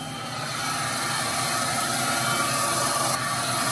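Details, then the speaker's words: Old Fadal CNC mill, sat unused for years, spindle raised to 2000 rpm on first power-up, still warming: even, steady whir with smooth high hiss, no knocking or grinding, holds speed; spindle sounds healthy. "Spindle sounds pretty healthy."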